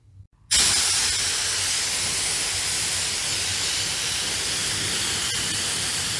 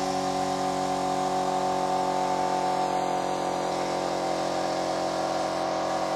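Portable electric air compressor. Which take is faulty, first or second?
first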